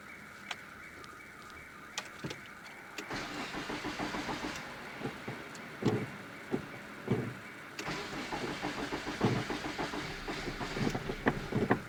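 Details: 1997 Nissan Almera/Pulsar N15, GA14DE engine, about 162k km, on its first start after sitting about 9–10 years, with a new fuel pump. It cranks, catches, then runs lumpy with stumbles on maybe 2–3 cylinders. The owner suspects the spark plugs.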